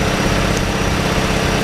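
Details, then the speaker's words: 2007 Hyundai Elantra whose blown head gasket led to an engine rebuild with new parts, idling after starting; a loud but even low drone with no puffing or ticking, smoke coming only out of the exhaust while it burns off. "sounds much better and so far all of the smoke is just coming out of the exhaust so that's good let it burn everything out and see what happens"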